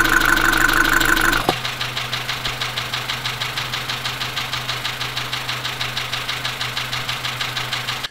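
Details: Dacia Sandero, Renault D4F 1.2 petrol engine (as in Clio), at a quiet idle, recorded through a recorder and headphones: sharp, regular heavy internal knocks about three per second. Low oil and a possible spun bearing are suspected, unconfirmed.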